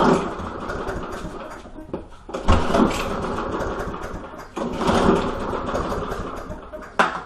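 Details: Lawn mower: several rope pulls, each a short rushing spin that dies away with no firing. The engine turns over but never catches; cranks but won't start.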